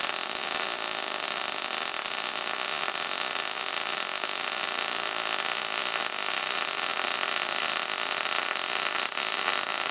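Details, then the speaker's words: SIP Autoplus Mini 130 synergic inverter welder, gas MIG with solid wire, pushing: steady, even frying sizzle, a singing noise, with no pops or sputtering bursts; healthy, well-set MIG arc. "it's making like a singing children noise that's it the noise you want to hear"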